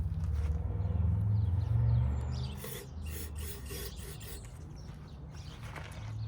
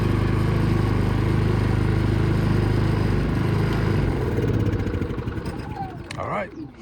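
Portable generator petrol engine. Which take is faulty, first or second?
first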